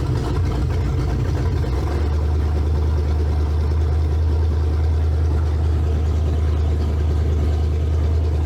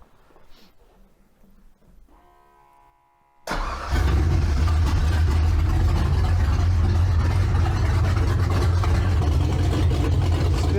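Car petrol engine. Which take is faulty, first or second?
first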